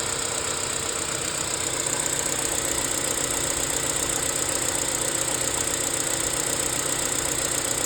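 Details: BMW E87 engine at idle after the tensioner was changed: a fast, steady metallic rattle, roughly four beats a second, rides over the idle hum.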